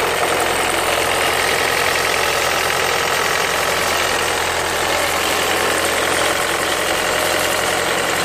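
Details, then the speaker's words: 2003 Renault Mégane 2 phase 1 1.5 dCi diesel at idle: clatter with a faint high bird-like chirp riding on top, steady with the engine; owner thinks the timing belt needs redoing, cause unclear. "Voilà, c'est un bruit d'oiseau. Si vous avez des solutions, merci beaucoup."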